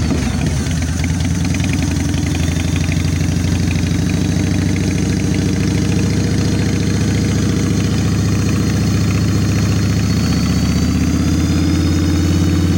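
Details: 1996 Harley-Davidson FXSTSB 1340 Evolution with cleaned Mikuni HSR 42 mm carb, idle mixture set to 1.5 turns out and accelerator pump adjusted: deep, loping V-twin idle that settles and holds steady, no popping or stumbling.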